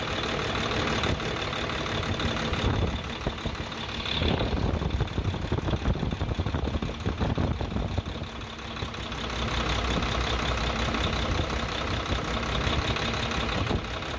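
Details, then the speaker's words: Hino truck HO7D diesel after repair of a broken piston liner that caused a sudden engine noise: steady, even idle with a low regular beat and no knocking; engine now sounds clear and healthy. "Accelerator दो। माशाल्लाह क्लियर हो चुका है।"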